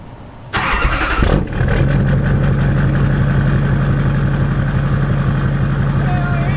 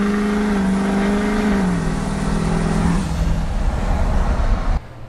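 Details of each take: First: Freshly rebuilt Duramax LBZ diesel with a dual fueler, HSP piping and a Ryan's Diesel Service turbo, first start after priming oil pressure with a scan tool: short crank, prompt catch, steady even idle with no knocks or misses. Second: Rebuilt Duramax LBZ diesel, dual fueler, Ryan's Diesel turbo, 4-inch straight exhaust, tune not yet adjusted: deep roar with turbo whistle climbing then sagging pulling from low revs; dirty tune over-fueling at low rpm.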